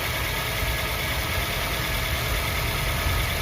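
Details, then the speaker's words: Used car, engine checked cold, idling: steady, even idle with no hunting up and down and no ticks or knocks; smooth, healthy engine, normal idle. "Nah kalau mesin yang masih sehat dia akan stabil tidak seperti ini Hai enak mesin kalau bermasalah akan seperti ini naik turun naik turun naik turun tapi karena ini masih sehat Bekasi akan langsam stabil"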